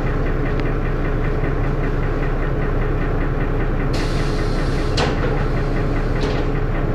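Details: First Manchester Dennis Arrow bus 31923, recorded with a phone: heavy diesel clatter with an uneven knock about a hundred a minute over coarse thrash; engine knocking, cause unknown.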